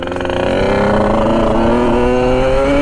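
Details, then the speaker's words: Sherco 50 SM supermoto with 77cc Metrakit two-stroke, riding: burbles and blubbers at low throttle, then rises cleanly as it clears; loading up rich because the pilot jet is too big, to be replaced with a smaller one. "yeah i'm gonna drop down the pilot it's just so big it just it's loading up like crazy"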